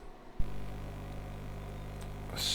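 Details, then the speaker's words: Steady low buzz with stacked hum tones, starting abruptly and holding flat, while operating FT8/PSK31 digital amateur radio on 10 and 20 metres; RF being picked up by the Focusrite USB audio interface. "so the buzzing noise you can hear if you can hear it is uh the RF being picked up by the audio interface which is a Focus right interface"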